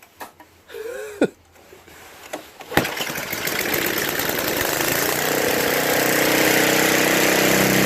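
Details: Brute 5HP Tecumseh 24-inch snowblower that bogged and stalled under load, after carburetor cleaning, a new fuel line and an added fuel filter: a few pull-start rattles, then it catches and runs steadily and evenly.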